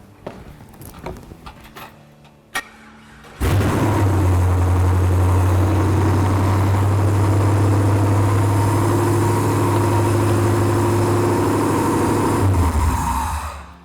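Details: 1964 Chevy C10 truck after LS V8 engine swap with EFI, first start: catches after a few seconds, then settles into a deep, steady, even V8 burble with no knocks, misses or hunting; normal idle.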